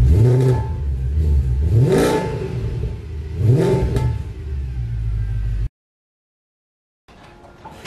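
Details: W204 Mercedes C63 AMG V8 after fix (long-tube headers, sport cats, mid silencer), throttle blips: deep clean burble rising and falling, louder, no drone or rattle; exhaust healthy.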